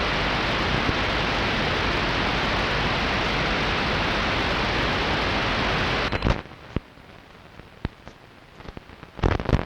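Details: Strange noise on long wave radio, recorded 0134 UTC 06.06.2012 with DSL modem and router off, not from the home: steady rain-like hiss suddenly drops away, leaving scattered sharp crackles; outside interference of unknown origin.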